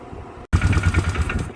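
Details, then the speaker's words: Polaris Magnum 325 ATV after carb clean and new starter, choke cable broken, float bowl primed: with a little throttle it catches abruptly and settles into a quick, uneven low putter with throttle blips; now starts and runs. "Okay, it needed a little bit of throttle, and she started right up."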